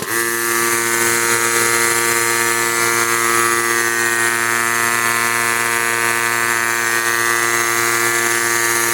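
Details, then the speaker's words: Allegro 9832 S rotary vane breathing air compressor with a dented fan shroud and a sticking gauge needle (reaches 15 PSI): constant, even whirring hum at a steady pitch with no rattles or surging; otherwise running fine. "So, other than that, it operates fine. We're fire it up again."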